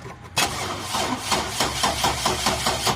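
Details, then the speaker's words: GMC truck that previously would not crank: after reconnecting the battery, the starter whirs and the engine catches with uneven chugging but struggles to hold idle and stalls; cranks and starts but still stalls. "all right so we got it to crank up which was great cuz before we couldn't get it crank at all so we're definitely on the right track but still stalling as I said"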